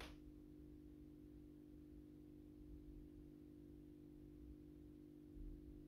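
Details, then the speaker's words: AEG Minikoffer West German post-top mercury vapor streetlight (80/125 W) on its first startup after reassembly and rewiring per the ballast schematic, 125 W Osram Deluxe bulb. Faint, steady low hum at a constant pitch during warm-up: normal ballast hum. "let's do the first startup run with the intended mercury vapor bulb 125 watt osram Deluxe will be vapable you can hear the ballast is humming a little bit"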